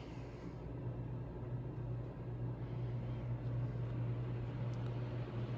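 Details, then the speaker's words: Mr. Heater Big Maxx 80,000 BTU garage heater converted to propane, heard at startup with the fan running: an even, low steady hum, no rattles or scraping, not horribly loud, about like a home furnace; normal. "there it is on and I can feel that heat we walk right up so you can hear it that's the fan right there so as you can see it's not like horribly loud"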